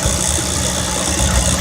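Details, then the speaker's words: V8 with distributor ignition idling with a black rubber vacuum hose in place of the coil wire: steady idle with light crackling rattle as spark jumps through the carbon-black hose; engine still runs. "I'm going to show you here you listen to you'll be able to hear the spark jumping and probably see it"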